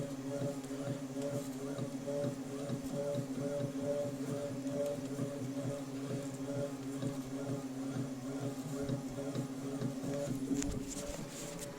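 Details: New Tacx Neo (T8000.61) smart trainer: steady low rhythmic thumping about twice a second over the trainer hum, keeping time with pedalling; source unclear, owner wonders if a problem is arising.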